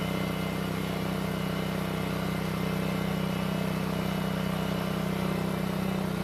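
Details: Honda walk-behind mower, old but well kept, running after a no-start fix (carburetor problem after winter storage): smooth, steady small-engine drone with even firing, no misses or surging; normal running.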